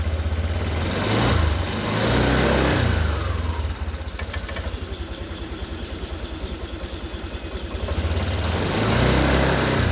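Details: Honda Vario 150 single-cylinder scooter with a complaint of dying when throttled on morning cold start; fuel pump tested good at about 40 on the gauge; starts, idles with steady quick patter, revs up and settles back smoothly; normal.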